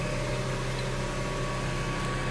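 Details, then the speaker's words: Mazda AWD cruising around 56–62 mph: steady low hum with faint constant whine over road noise; attributed to the transfer case, not the rear differential. "The sound that you are hearing at that certain speed is your transfer case."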